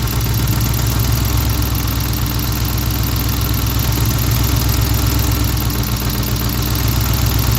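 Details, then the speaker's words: V8 idling after an intake manifold install on a swap: the idle note dips and recovers as an open manifold port is covered. Air is felt at the port, indicating a vacuum leak. "I'm going to see if I could feel air coming off that uh that little pork I know it's there for a reason that got to be doing something oh hell yeah I feel that you can hear the idle change too when I mve"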